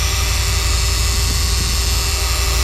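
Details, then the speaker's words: 2014 Subaru Forester with used AC compressor installed last year, AC on, engine running, no cooling: loud harsh roar with steady whining from the compressor, leaking at line o-ring or case seam; compressor must be replaced for the noise. "either coming from the o-ring on this line or the uh the case is leaking where you go from one side of the case to the other side uh either way this compressor has to be replaced just because of that horrendous noise that it's making"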